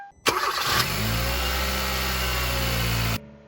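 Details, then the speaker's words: 2013 Kia Rio just after battery replacement: short crank, then catches instantly and settles into a steady, even idle. Normal engine start. "Fired right up. Looking good."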